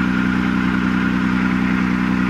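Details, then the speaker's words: 1996 Nissan Maxima, battery terminals needing cleaning and wiring still to be checked: a steady loud idle with a fast, even pulsing beat and a coarse, lumpy character; it runs rough, cause not yet found. "don't know it's weird isn't it it didn't sound right to me i'm gonna have to give this thing a good look"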